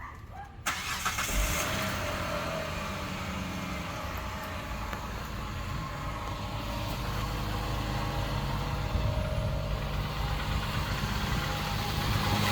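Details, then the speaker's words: 2006 Hyundai Tucson V6 FWD, first start after exhaust leak repair with a welded-in replacement pipe: cranks, fires and settles to a smooth steady idle with no puffing or ticking; exhaust leak fixed. "okay this is the first startup after the exhaust leak repair"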